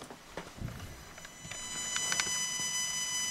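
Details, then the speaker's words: Home audio setup feeding a computer line input through an isolation transformer, only the signal connected with no grounds, so not a ground loop; faint thin high-pitched tones and soft ticking over hiss on playback only, not recording; source unknown. "the noise is back all right so plug that in anyway now this is only affecting playback it's not affecting recording"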